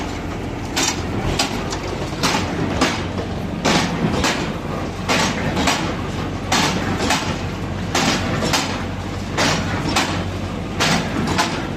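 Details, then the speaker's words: New Holland 68 baler running on tractor PTO after repair (timed, knives sharpened, knotters cleaned, greased) following about four years unused, guards not yet fitted: steady PTO drone with a heavy, fairly even plunger clunk about forty times a minute; a little noisy but running normally. "See, she's a little bit noisy, but at least she's moving and we've got guards to put on it."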